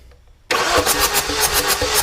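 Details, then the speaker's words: 2.0L diesel Chevy Cruze during a compression check: the starter cranks at an even, brisk rhythm with pulses of unequal strength, one stroke lacking its push; no compression (no air at the plug hole) on cylinder number four. "i'm just gonna stick my finger over the hole and see see if i feel any wind there ain't nothing there let's let's compare to see what it's supposed to feel like oh my yeah yeah for sure no wind on number four"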